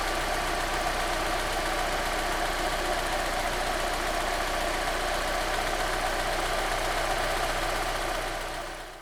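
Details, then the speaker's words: Honda S2000 AP1, daily driven, around 150,000 miles, warm idle: loud, fast metal-on-metal tapping like a baseball card in bicycle spokes, timing chain hitting cylinder head; failed timing chain tensioner rattle. "In its most noticeable form, it'll be a loud and fast metal-on-metal tapping sound."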